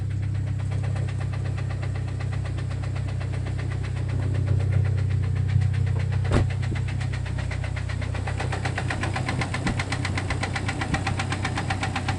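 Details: Jeep Cherokee XJ facelift, 2.5 L four-cylinder petrol engine, skirt broken off the piston in cylinder two: steady idle with a sharp, regular knock about four times a second over the low engine rumble; piston slap.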